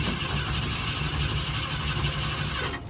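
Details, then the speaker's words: Ford F100 that sat about 3 months, cranking on a weak battery with the pedal pumped and no fuel filter fitted: steady rhythmic cranking that never fires. Owner suspects it needs priming with gas. "And I'm guessing we're gonna have to prime it with some gas. We'll give it a couple more cranks and then I'm gonna be done, because I don't want to kill this battery."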